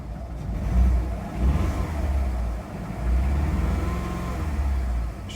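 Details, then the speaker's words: VW Golf Mk4 after resetting codes: revs rise and fall unevenly with a stumbling, lumpy exhaust pulse; misfire, fault code later points to cylinder three. "start her up still misfying definitely engine light's not come up I should definitely miss firing let's come up with no codes at the moment"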